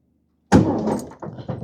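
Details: 1971 VW Beetle sitting for years, first key turn with no fuses in and no petrol yet: brief starter whirr with a few uneven compression pulses as the air-cooled engine turns over; cranking sounds healthy.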